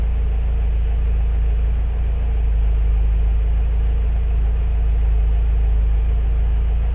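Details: Renault 17 TS with rebuilt Weber 32 DARA 4T carburetor: after the automatic choke is set and the idle screw raised slightly, the engine settles at 800 rpm with a steady, even low rumble and no knocks or misses. Normal idle.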